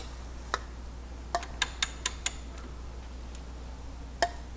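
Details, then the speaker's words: 1961 Ford F100 Unibody straight-six, out of the truck and turned over slowly by hand: a few sharp, isolated pops, a quick cluster then one more; seems to come from main bearing area near cylinder six, previously damaged by a screw. Cause unconfirmed. "almost seems like it's coming from right here in the one of these uh main bearings see areas again"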